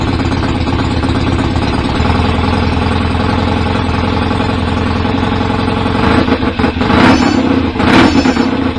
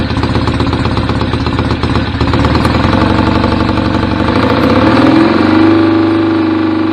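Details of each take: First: BSA A50 twin bought as a non-runner, first ever start with newly fitted pattern open pipes, needed throttle to fire: loud, slightly uneven idle with a few throttle blips; owner suspects timing slightly off, to check with strobe; rough idle. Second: BSA A50 Royal Star twin, bought as a non-runner, first running after restoration with pattern straight-through exhaust pipes: loud, choppy, lumpy beat steadying as it warms; owner unsure whether the air lever is fully off. Normal idle.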